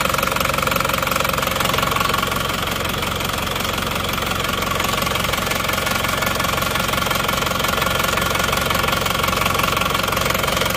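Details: Cold Isuzu Panther diesel idling after a morning start with temperature not yet up: hard, even knock about three times a second over the clatter, with smoke already showing. Compression measured only 15 bar. Engine coming down for overhaul and ring replacement.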